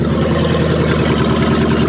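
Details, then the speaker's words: Ex-police 2000 Ford Crown Victoria V8, stored for years, running with no alternator belt and a loud exhaust: even V8 idle with steady low burble, no misses or knocks; runs smoothly and sounds healthy. "there's no alternator belt on it it sounds like it should sound there's no real Revival work we have to do on this in order to get a run it runs and it moves"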